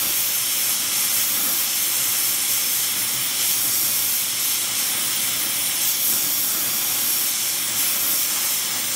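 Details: Airproducts Integra oxy-acetylene cylinders with built-in regulators and small mixer torch, welding with pressures set by ear, aiming for 4 psi: smooth steady hiss, no popping or fluttering; evenly burning normal flame.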